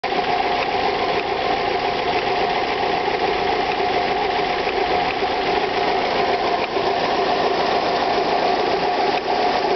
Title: alfa romeo 156 1.8 ts, ticking noise with warm engine